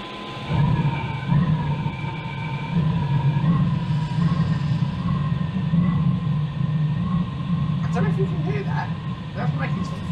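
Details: Iveco Iris bus camper, Chinese diesel heater replacing Eberspächer, on 13.2 V bench power supply after a fan-failure error: steady low hum under a wavering thin tone with light rattles once fans kick in; unusual fan noise, cause unclear.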